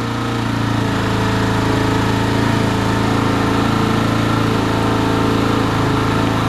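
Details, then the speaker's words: Italika motorcycle running on 100% ethanol for the first time, carburetor not yet adjusted: uneven hunting single-cylinder idle, lean and about to die; owner thinks it stalls because the engine is cold. "Se oye diferente el motor. Creo que está fría, por eso se apaga."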